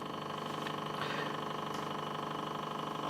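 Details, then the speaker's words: Stepper motor stepped from 80 down to 0.5 milliseconds per step: even buzzing hum with a steady rapid pulse, no stutter; runs smoothly below its resonance speed. "0.5 millisecondes par pas tout va très bien si j'accélère évidemment hilarian à suivre c'est normal"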